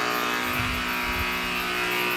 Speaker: That is a lot of noise. Two 50 cent parts will dramatically reduce that. Those two parts are the capacitors.